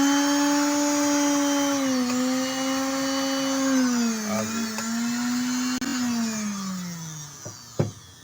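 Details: Sewing machine motor with foot pedal, tested through a series test lamp after refitting its carbon brush holder: smooth steady whine that drops and rises in pitch as the pedal sets speed, then winds down cleanly; motor running fine.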